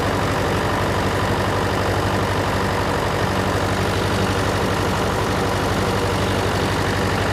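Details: John Deere 401C diesel with cracked block, idling: uneven limping knock pattern, one beat missing each cycle; temperature check shows number three cold while others hot, confirming an injector problem.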